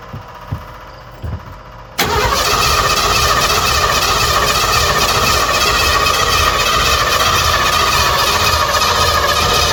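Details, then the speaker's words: Partially converted van camper abandoned about a decade, on a jump pack: a few quiet clicks, then the starter spins steadily for eight seconds without catching while the fuel pump is heard running; crank no start, owner suspects no spark. "I hear the fuel pump running, but maybe it doesn't have spark."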